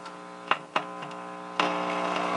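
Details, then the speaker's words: Tube radio during a low-budget restoration, first coming alive with a station playing under a steady low buzzing hum and a few sharp clicks; failing filter capacitors let mains ripple through and are next to be changed. "There's some hum there, but there's a station as well, so this is a good thing."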